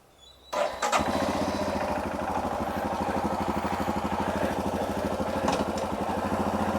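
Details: Royal Enfield Himalayan 411 after fitting longer Thunderbird 350 clutch cable (stock snapped at nib) with about 3 mm free play: catches at once and settles into steady, even single-cylinder thump, no odd noises; healthy start and idle.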